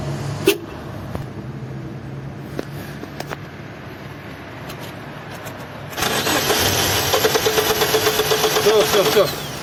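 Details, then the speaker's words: Mazda 626 1.8, manual, stalled and would not restart; spark and injector pulse present, fuel pump hums but no fuel pressure because the tank was empty: quiet clicks then steady even cranking that never catches; crank no start, out of fuel. "Искра есть. Импульс есть. Проверяем давление топлива. Топлива нет. Еще раз. Топлива нет."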